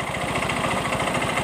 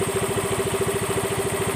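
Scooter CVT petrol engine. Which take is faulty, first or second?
first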